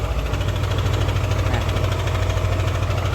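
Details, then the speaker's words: Old Yamaha NMAX, fine when cold but once hot the idle carries a rough, fast metallic rattle about three per second, owner's complaint; cam chain tensioner letting the chain slap. "kasar ini yang dikeluhkan oleh pemilik jadi motor setelah suhu panas ya untuk awal-awal tidak ada kendala tapi udah suhu panas ini muncul suara kasar seperti ini"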